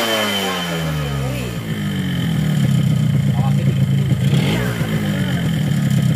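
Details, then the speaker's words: Yamaha RX-King two-stroke, bought used with a very rough engine, rebored block and rod checked; on test it runs smoother with a dry rattling knock: piston slap, piston still loose, possibly too-loose bore; piston to be boiled in oil. "Ya, dari suara sudah cukup halus, tapi masih ada gejala piston itu masih longgar."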